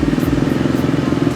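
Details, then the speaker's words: KTM 390 with stalling and 9 V battery, not charging, started on a freshly charged battery: fast rattling chatter about twenty pulses a second while cranking, fading as it catches; worn starter one-way clutch about to fail. "Did you hear that sound during startup? The starter clutch is about to fail."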